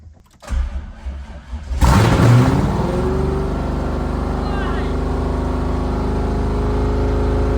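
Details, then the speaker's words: C5 Corvette LS V8 engine build, cold start; starter whirs briefly, then it catches with a loud bark and settles into a steady, even, deep rumble; oil pressure 40, which owner thinks is low for a cold start; healthy start. "It's sitting at 40, which is low for Cold Star, right? It runs. She runs. So, she starts."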